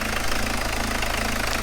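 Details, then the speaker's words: Peugeot diesel with long-term hard starting, fuel pump suspected: after intercooler refitted and started on easy start, even diesel clatter at steady idle with no chuffing from the injector area; checking for leaks, looking all right. "there's no chuffing which is a good sign yeah we're looking all right"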